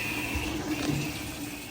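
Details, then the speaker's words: LG top-load washer in quick diagnostic test mode, step T1 cold fill, brought in for codes and noise: steady rush of water with even gurgling flow, no knocks or buzzing; normal, no fault found. "T1 it'll fill for a pretty good while with cold and then it will go to T2 and I believe that's hot yep cold"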